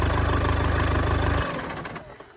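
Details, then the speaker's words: 2014 Audi A3 saloon with front-end damage, previously a non-runner: even steady idle with no knock or misfire until switched off; it was not starting because of a damaged starter motor wire. ">> She runs and it sounds good as well."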